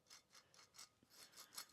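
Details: 2011 Polaris Ranger 800 XP AWD, CV shaft removed with dry-rotted boots: wheel bearing turned by hand gives gritty, raspy scraping in uneven strokes, with visible play; dry, worn bearing, to be replaced.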